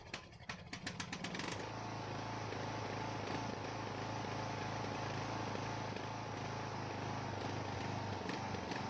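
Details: Ariens 42" geared riding mower, 17.5 hp Briggs & Stratton (31C707), Nikki carburetor, long neglected; after new fuel filter and fresh gas, fuel flow fine: slow cranking catches, run wavers and roughens, smooth only at certain throttle positions; carburetor suspected, unconfirmed.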